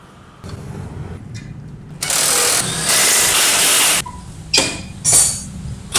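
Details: Honda Beat FI injection scooter after CVT repair: the worn, loose roller housing and thin V-belt were replaced, and the rear wheel no longer wobbles. It fires up cleanly and settles into a steady idle with rev bursts. No rough scraping from the CVT or gearbox now.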